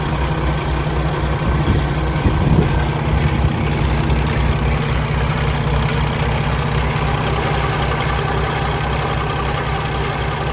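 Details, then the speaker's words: 2016 Peterbilt 579 with Paccar MX13 diesel and automatic transmission at warm idle: smooth, even running with no knocks or unusual noises, no tailpipe smoke, no blow-by from the oil filler cap; normal warm diesel idle. "It appears to be running excellent. No unusual noises, no smoke out of the tailpipe, no blow by coming out of the oil filler cap."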